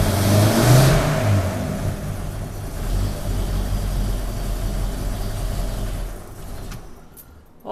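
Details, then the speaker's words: 1932 Nash 990 Series after tune-up with new points, not yet warmed up: smooth rev dropping back to an even, steady run with no misses or stumbles; running a lot smoother than before. "i think it's running a lot smoother than it was oh yeah new points"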